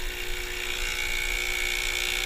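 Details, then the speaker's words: Gaggia Classic espresso machine after replacing the EAP5 vibratory pump with an EAX5 to fix low or no flow, priming. Steady even buzzing hum at constant pitch, no sputter or strain; normal pump operation. "hopefully we're going to see that sounds a lot better"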